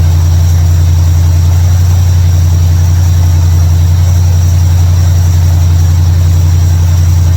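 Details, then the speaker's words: 1955 Chevrolet Bel Air after fixing ignition, electrical and fuel issues with a bypass switch and carburetor tuning: steady, even low rumble, no misses, knocks or hunting; normal idle. "I'm happy finally got the car running uh ran a switch had to do a little bit of carburetor tuning and it worked out"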